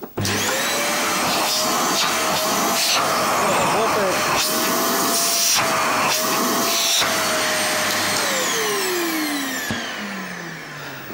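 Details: Vacuum cleaner after checking tube, hose and seals for lost suction power: strong steady whine with even airflow rush, pitch falling smoothly at switch-off; motor running properly.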